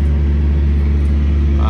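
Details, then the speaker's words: Cummins ISX diesel after a rebuild for dropped liners and a blown head gasket (block cut, shims, OEM parts); deep, steady idle rumble with no knocks or misses, and oil pressure and temperature good. "got a starter everything's good runs good oil pressure and everything"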